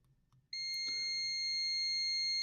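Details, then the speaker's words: ALLPOWERS R600 power station that won't power on, tester on the XT30 connector feeding the control board and processor: steady high beep for about two seconds, a short to ground on the board's power input. "Тут в нас є КЗ. Це якраз таки роз'єм XT30 відповідає за живлення ось цієї плати, в тому числі процесора і всієї обв'язки."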